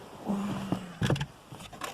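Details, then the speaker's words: Opel 1.4 Twinport Z14XEP, after throttle body cleaning, fuel system empty: ignition switched on repeatedly so the fuel pump primes; brief whirring hum about a second then a few clicks, normal priming. "Kiedy włączamy stacyjkę przez chwilę pompa się włącza i nabija nam paliwo trzy razy myślę że powinien szybko załapać"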